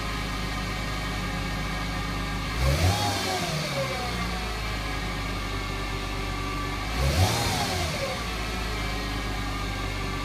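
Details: 2008 Mercedes-Benz C300 V6 with stock exhaust, cold start and revving: steady high whine sweeping up in pitch with each blip, from a failing alternator; replacing the alternator removed the noise.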